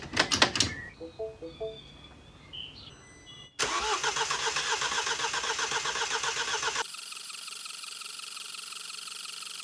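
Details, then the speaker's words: 2013 Mini diesel, N47 engine, reinstalled after timing chain replacement: starter spins fast and evenly about three seconds with light uniform pulses, no firing; briefly started then cut out, owner suspects no compression. "right well I don't know whether you heard that it started up and then cut out which doesn't surprise me but what does surprise me now is it sounds like it's got no compression which is not good"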